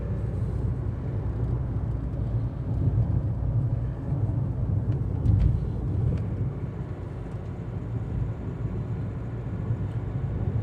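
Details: Hyundai Creta cabin at about 60 km/h with the AC off, on a 35°C day. Low steady road and tyre rumble with no knocks, whines or rattles standing out. Owner says the noise is negligible; normal cabin noise.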